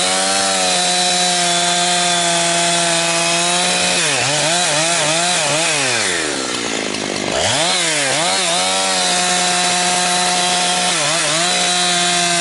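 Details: Husqvarna 362XP Special chainsaw with Walbro carb, tuned safely rich, cutting firewood. Revs climb and dip repeatedly, breaking into a burbling gargle instead of a clean scream near 11,500–12,000 rpm. It four-strokes at the limit because of the wrong ignition coil installed by a previous owner.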